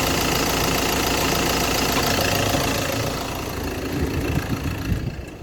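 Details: 2017 Ford Transit diesel idling: rough, uneven crunching chatter over the engine clatter, easing toward the end; occurs periodically, usually when the air conditioning is switched on; source not yet pinned down.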